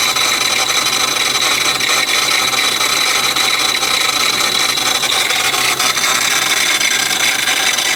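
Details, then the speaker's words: Modified car at 2,000 RPM on the road: harsh constant rasping roar from the intake following revs, belt still on; cause unknown, owner hopes something loose, traces it to the block and hopes not the head. "This noise just happened when I was driving at 2,000 RPM down the road. Very loud coming out of the intake."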